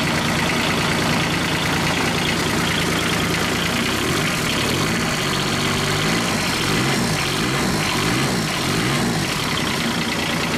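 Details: Kubota G1800 tractor diesel, rebuilt engine back in tractor after about 2 hours mowing: steady clatter at firm idle, even firing, no misses or knocks; running good.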